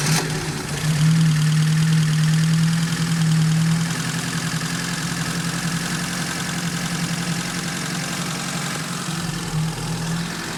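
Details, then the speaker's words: 1986 Fiat 147 1300 alcohol engine at slightly elevated cold idle: light, even ticking of about three to four per second, the characteristic valve noise common to this engine; idle settles as it warms. "é de característica esse barulho de válvula trabalhando se é super comum desse motor"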